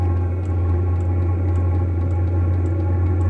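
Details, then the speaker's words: Vevor diesel heater newly installed in a RAV4, just after ignition: steady hum with even fuel-pump ticking about twice a second; zero smoke, running fine. "absolutely zero smoke on this startup this one's working great no smoke yet anyways"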